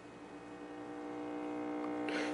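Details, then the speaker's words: Philco Town & Country TV after swapping the sound output tube: steady low buzzing hum with a whining overtone, swelling louder over two seconds; heavy mains hum on the audio output. "a lot louder of course it's just a horrible home trace back on the screen"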